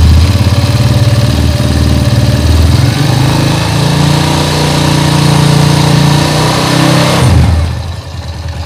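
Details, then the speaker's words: Small single-cylinder motorcycle engine after an engine rebuild, whose oil pump was not lifting oil; the cause was a cover found on the clutch side. At a test start it settles into an even idle and picks up cleanly when blipped, healthy. "Oke, ini langsung kita hidupkan dan kita tes apakah oli ini mau naik ke atas."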